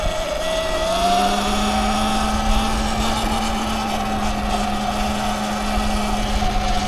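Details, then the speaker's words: A $600 Sur-Ron electric bike on its first ride after four months of repairs. A steady high whine holds pitch over wind rush while cruising. The motor is noticeably noisy and the cause is unknown. Motor whine. "Yeah, people can hear it, man. It's got a bit of a whine to it, eh?"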